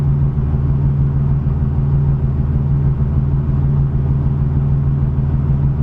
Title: 87 Cavalier RS Convertible V6 rough idle issue